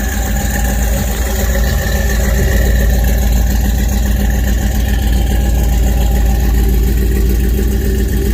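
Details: 1969 Dodge truck at idle: a steady, even low rumble with a smooth, regular beat and no knocks or misses; the old engine idles cleanly.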